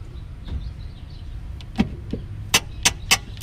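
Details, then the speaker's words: 1998 Mercedes S500 rear suspension, with a seemingly replaced strut: four sharp creaks about a third of a second apart as the strut is worked by hand. The lower strut mount is seized from sitting and rust. "This is your sound. If you listen to it, listen, and try to duplicate it. Move this out the way. That squeaking that you hear."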